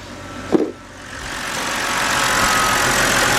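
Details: 2010 BMW 528i 3.0 with P0305 cylinder 5 misfire, after replacing the cylinder 5 ignition coil: after one sharp bump the engine settles into a smooth, even idle with all cylinders firing; normal idle.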